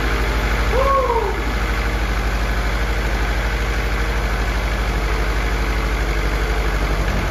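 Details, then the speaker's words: F24 newly built motor, first start-up run: even steady idle with a smooth regular beat at constant speed, no knocks or ticks, no leaks; engine sounds healthy, valve lash to be checked after break-in. "very good guys no leaks I only took one or two little tries and she's good we got no leaks nothing looks and luck everything looks good motor sounds good and healthy"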